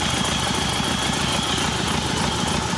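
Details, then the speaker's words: Hyundai Santa Fe diesel, smoking, before repair: rough, uneven idle with irregular shake and stumble as cylinder 3 drops out, a misfire; oil leaking somewhere behind the engine. "зараз запускаємо двигун міняється робота двигуна міняється третій циліндр нічого не проходить якось працює"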